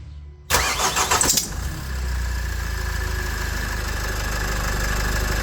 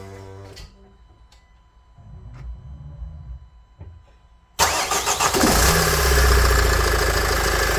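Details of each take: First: Nissan X-Trail 2.0 dCi diesel at start-up: cranks, catches, then a steady high squeal over idle; owner suspected the tensioner, idler or tired belt, water on the belt changed it, and replacing the accessory belt kit fixed it; accessory belt squeal. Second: Nissan X-Trail 2.0 dCi diesel after replacing accessory belt, tensioner and idler pulley to cure a startup squeal: cranks, catches quickly, smooth even idle with no belt squeal.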